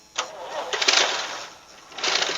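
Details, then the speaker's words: Vintage Toro tractor, ex-golf green mower later airport tug, first start on jumper pack: small engine fires and runs in short uneven bursts with no engine knock underneath; sounds healthy. "look at that boom baby well there's no engine knock or anything look at that that's fantastic"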